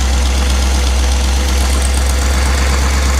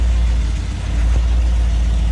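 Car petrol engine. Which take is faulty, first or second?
second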